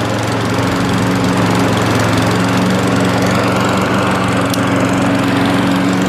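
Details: Old Mountfield push mower with entry-level Honda vertical-crankshaft engine, after clearing debris from carburettor float needle valve to stop leaking: smooth constant drone at steady speed, no surging, misfires or knocks; normal running.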